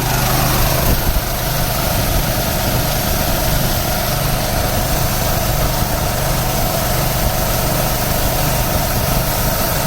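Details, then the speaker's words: Harbor Freight 9-gallon air compressor, about five years old, started for sprinkler blowout: loud steady drone at even pitch and level; running normally. "we start the other compressor no problem"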